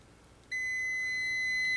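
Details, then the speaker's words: Multimeter on continuity setting, probes across the metal tabs of a fuse in a vehicle power distribution center: steady high-pitched beep starts abruptly and holds; continuity, fuse is good. "have a good fuse we have continuity because the current is passing through the red red one passing through the fuse and going into the black one"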